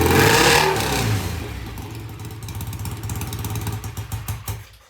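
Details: BSA A65 twin motorcycle, cold start after cleaning the pilot jets in new Premier carburetors, carbs tickled: fires at once with a quick rev, then drops to an even, steady idle on both cylinders; easy start, runs healthy.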